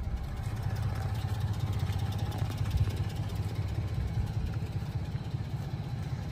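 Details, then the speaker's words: 1993 Honda Street Limited 4WD van, carbureted engine, warmed up, idling steadily with a low even putter and no stumble with the lights on; normal idle. "yeah and then as you can see idles absolutely perfectly"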